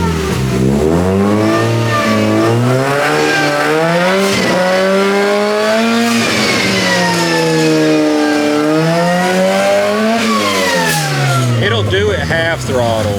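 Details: Supercharged Mazda Miata, stationary: repeated revs climb hard, then abruptly fall flat near the top as the injectors run out of fuel capacity at high rpm; the cut-out does not happen with the supercharger belt off.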